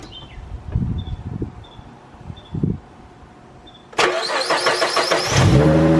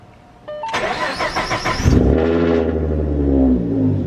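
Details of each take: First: 3.7 V6 Mustang with GT500 M122 supercharger, just after installing a new throttle body with cold air intake: starter cranks, engine catches and settles into a slightly lumpy, uneven idle. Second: Supercharged (GT500 M122) 3.7 V6 Mustang after throttle body and bypass valve install: starter cranks briefly, engine catches cleanly and settles into a smooth, steady idle with no stumble, waiting for AFR readings; normal start and idle.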